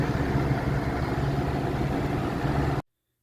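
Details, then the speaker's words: 1991-1992 Robeson 2393 fan on low speed shaking badly: rough hum with uneven throb and motor buzz from a warped plastic blade hub; buzz stopped after fitting a spare blade. "And low speed. This is just shaking bad."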